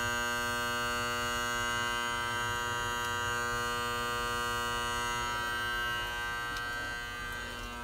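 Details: Honeywell heating zone control box buzzing when the downstairs heat is on: steady, harsh electrical buzz holding one pitch and easing slightly at the end; happens only intermittently, not every time. Intermittent electrical buzzing.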